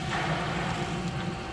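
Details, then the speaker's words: Pool pump while winterizing, water lowered below the jets and skimmer valve cracked: motor hum with a rough, gurgling rush as the pump sucks air clearing the skimmer line. "All right, it's clearing the pipe. You can hear it, hear the air going"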